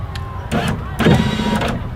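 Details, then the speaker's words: 2004 Mustang driver's-side power window, motor already replaced once on this regulator: short bursts of ratcheting clicks as the motor drives; owner suspects the motor gear is slipping and not engaging the regulator teeth. "I've already changed this motor out on this regulator, but it's slipping. There's that noise. So I think what's happening is the motor gear is not engaging into the teeth of this regulator."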